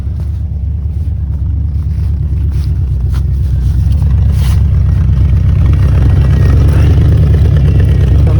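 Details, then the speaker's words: 1979 Ford F100 Ranger XLT, abandoned in a yard, first run after carburetor cleaning: a deep, even rumble at idle with no misses, pops or rattles from the dual exhaust, and neither side smoking. Normal exhaust at idle. "ends right there the exhaust and it sounds great no issues at all"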